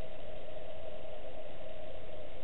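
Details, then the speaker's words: Newly fitted Chinese diesel heater on a boat, fan gone into super boost (turbo setting) blowing very hot air; steady even blower rush with constant mid tone, no knocks or rattles, running normally, installation judged error-free. "gone really super hot at the moment. Or super speed on the fan, as you can see on the little turbo drawing."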